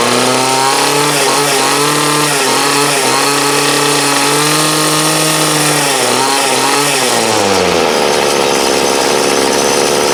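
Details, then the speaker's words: 2008 Troy Bilt TB20CS 31cc two-stroke trimmer, fuel lines, filter and primer replaced, warm after about 5 minutes idling, wanted half choke; high revving buzz sags and wavers before dropping off: carburetor dead spot needing adjustment. "Seems to run good. It's just got to get that dead spot out of it."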